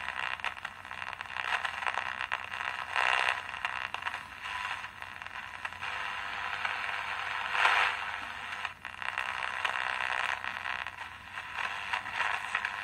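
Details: 1970s Emperor AIE-641 pocket radio on a single battery after a small repair that fixed very low volume: steady, clear signal at good volume with no crackle, tested with a small transmitter, now working normally.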